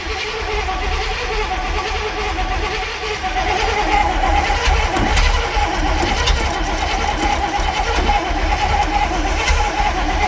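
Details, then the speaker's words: Barn find Cadillac 7-liter V8 unstarted 30+ years, new spark plugs, spark confirmed, with charger on: starter turns engine over evenly for seconds but it never fires; cranking, no start, cause unconfirmed. "All right. Okay. New plugs. Let's try it again. For like the millionth time."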